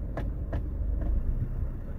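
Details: Honda Jazz 7-speed automatic idling in drive after repair of strong vibration in drive or reverse: low, even rumble with only a couple of light clicks, no shudder or drumming; normal idle in drive.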